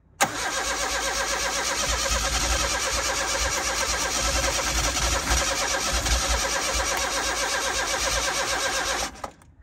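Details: Turbo car with faulty anti-theft wiring removed and fuel pump wired directly to positive after inertia switch checked; starter cranks steadily with ragged, uneven firing catching and sputtering as fuel delivery is restored.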